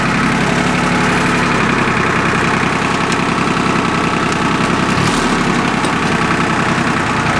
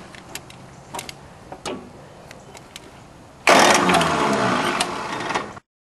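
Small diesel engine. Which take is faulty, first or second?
second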